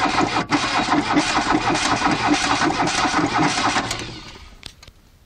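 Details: VW Caddy on a cold start, apparently running on three cylinders with one valve possibly at fault: slow, even cranking about two and a half turns a second for four seconds, and the engine never catches. A hard start, cause unconfirmed.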